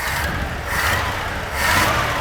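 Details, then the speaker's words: 1980 Dodge D150 truck after a rebuild, warming up as the choke comes off: engine revved twice, rising and settling cleanly with no misses or popping; sounds pretty great, normal revving. "give it a REV all right does sound pretty great"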